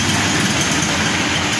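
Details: Honda Beat carburetor scooter after fix of hesitation caused by too-small local jets running too lean, jets replaced with larger ones; short, even buzzing idle, steady speed, no popping or stumbling; normal idle.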